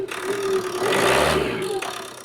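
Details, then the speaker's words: Ford Transit Connect diesel after repair with fresh auxiliary drive belt: starts and idles evenly and quietly like a sewing machine, brief light rev, no belt squeal as it had before. "anyway as you've just heard it started up like a little single sewing machine and it sounds so much quieter because haven't got that belt squeal like it did have before"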